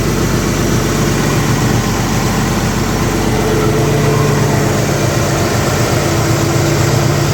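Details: 1964 Chevy II Nova six-cylinder, sat about a year, running after wiring repairs and cleanup; low, steady idle with an even, unbroken rhythm and no knocks, misses or squeals; normal healthy idle.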